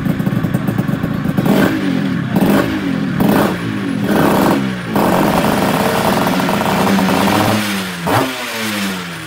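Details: Restored Yamaha Tiara S120 (Thailand) two-stroke, engine rebuilt and fully set up: crisp blips rising and falling cleanly with the throttle, no knock or rattle between revs; normal two-stroke revving.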